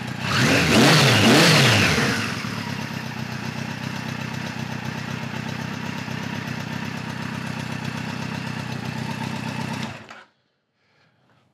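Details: 1973 Kawasaki Z1 900 with new 4-into-4 exhaust, enricher now fully off: a couple of quick blips, then the four settles to an even, smooth idle with no stumbling before being switched off.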